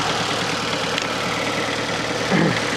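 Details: Fiat Panda 4x4 Sisley petrol engine converted from carburettor to throttle-body fuel injection: after a brief blip following overrun fuel cut-off, idle runs steady and even with no misses, knocks or hunting; smooth, healthy normal idle.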